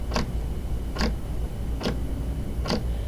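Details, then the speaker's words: Orion telescope DPL 16G azimuth motor slewing at rate 2 either direction, camera near housing: four sharp clicks about 0.85 s apart over low motor hum, one per revolution, unlike silent elevation motor; azimuth motor clicking, motion not smooth. "and that is you can physically hear the click in the housing when you slew the motor in either direction so i'm going to put it on rate 2 and then i'm going to let you listen to the click as the motor turns"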